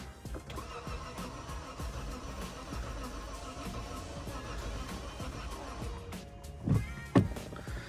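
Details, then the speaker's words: Lexus flip car that has sat a while, first start attempt: starter churns engine at an even pace, compression sounds good, but it never fires; crank no start, owner suspects fuel delivery despite a full tank. "All right, so compression sounds good. It's just not getting, how much fuel is in here?"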